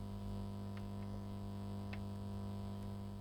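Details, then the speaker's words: Drok mini Bluetooth amplifier, 12V, in aux mode with the cheap supplied cable: low constant buzz-hum, unchanged throughout; ground noise that the owner puts down to the cheap cable, not confirmed. "now earlier tests I got ground noise from this and I'll show you anyway"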